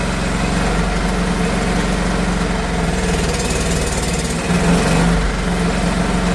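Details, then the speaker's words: Old heavy Honda generator, barn find stored about 20 years, less choke: rough, uneven low chugging that wavers and surges, keeps running only with throttle held open; owner suspects carb issue from sitting so long. "I think it's just a carb issue, guys. Let's hold that throttle open."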